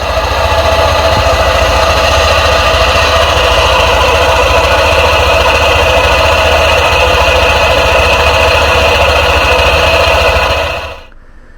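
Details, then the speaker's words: Honda ADV 150 scooter, first cold start of the day: loud, harsh metallic rubbing whine from the CVT, gone once warm and not recurring; dealer suspects CVT cover bearing lacking grease lubrication until warm, unconfirmed. "Actually, it's the noise that's what I told you, this noise is characteristic of the lid bearing, ok? What happens? His grease, it only has full lubrication after it heats up."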